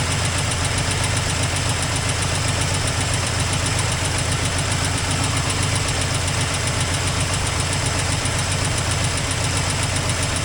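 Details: 1984 Toyota Land Cruiser FJ60 revived after many years sitting: uneven idle with ticking and some knock over a low hum, with an exhaust leak noted. Rough running after years of storage.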